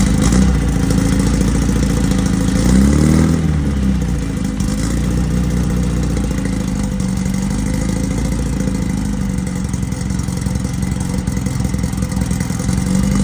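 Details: 1968 VW Beetle rally car, newly installed air-cooled 1776cc flat-four, first start for break-in on a roughly 95° day: steady, even rumble at fast idle with no knocks or misses; fresh engine running smoothly, normal running.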